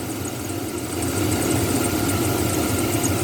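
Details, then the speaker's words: 2004 Chevrolet Silverado at idle, after replacing bad serpentine/AC belt tensioner pulley bearings: a steady rough whirring from the belt area rises slightly with revs, pointing at one more worn pulley bearing; suspected, not confirmed. "all right so we definitely get definitely got one more pulley that's going to need replacing it probably is that one right there"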